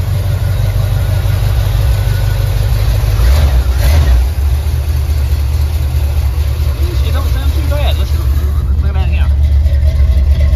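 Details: Stock small-block Chevy 400 V8 in a Chevy truck with an Amazon intake and distributor, rebuilt with new rod and main bearings and all new gaskets: it starts, picks up, then settles into a low, even idle with no knocking. Normal healthy idle.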